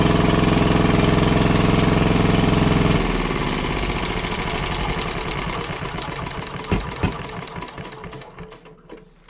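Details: WWII Chore Horse 300-watt charging set, model CH1 395-5, original 1940-41 paint, battery charger for communication equipment; after throttle-screw adjustment the single-cylinder engine thumps evenly, then coasts down cleanly at shutdown; healthy running.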